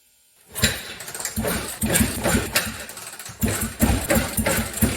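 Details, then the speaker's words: Honda Fourtrax 250 ATV bought as junk, timing set: uneven cranking chugs that nearly catch but never settle into idle; it almost starts but won't, traced to a broken piston ring robbing compression. "I got it timed right and it would crank and it would almost start and just wouldn't quite do it"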